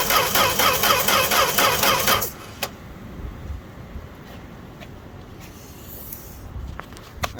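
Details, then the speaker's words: Fargo (Canadian Dodge D100) truck unstarted all winter, cold start without pumping pedal: steady cranking about two seconds with no firing, then stops; crank no start. "I don't know how much this things got left in her she's trying like I can't believe this it's going that long good for it"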